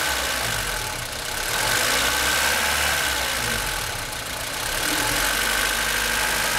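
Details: 1996 Australian-delivered Honda Civic EK Cxi with a D16Y4 engine at idle: a steady high ticking-knock about three a second from the top right-hand corner of the engine; source unclear.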